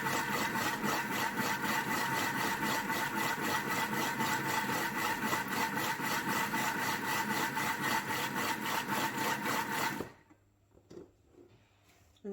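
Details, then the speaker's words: Thermomix at speed 4, no timer, making butter from cream and water: steady thumping clunks about four per second over motor hum, machine jerking slightly, then stops; butterfat has separated into chunky butter and liquid buttermilk. "I'm not sure if you could hear that. And you may have been able to see the Thermomix started to jerk around slightly. So inside you can see two very distinct textures. So one is our butter, the butter fat has separated and gone kind of chunky, and the other is a liquid, which is our buttermilk."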